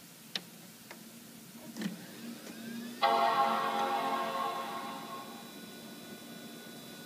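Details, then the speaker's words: Blueberry Rev. C iMac G3 (333 MHz G3, 6 GB Maxtor hard drive) powering on: clicks and rising whir, loud startup chime over steady hum of a noisy hard drive, CRT degaussing follows. "the startup bong and the noisy hard drive."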